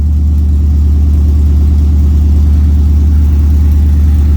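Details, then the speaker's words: LS-swapped OBS truck V8, cold start after checking the engine and spark plugs for a first-start misfire: deep, steady idle held slightly high, even pulses, no misses or stumbles. Sounds way better; normal cold idle. "see how this stuff is working that's not bad cold start"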